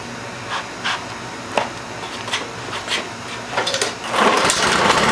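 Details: Lawn mower that stalls after a few seconds to a minute; runs fine briefly, then revs hunt up and down and it dies; air filter fairly new, fresh gas, carburetor clean; mechanic found water in the carburetor from storage outside under a tarp.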